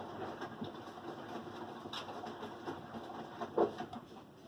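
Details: Samsung WF337AAW/XAA front-load washer, spider arm recently replaced: soft irregular knocks every second or so over quiet drum rumble during the wash cycle; washer knocking.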